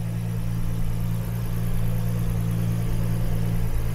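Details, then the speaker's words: Nissan Skyline GTR RB26DETT on Haltech, idle set high and running rich: deep idle with uneven wavers and sputtering stumble, stalls when hot; air leaks found at the throttle body and head. "so yesterday I made a more in-depth video of trying to find what was going on so you can kind of hear it sputtering right now"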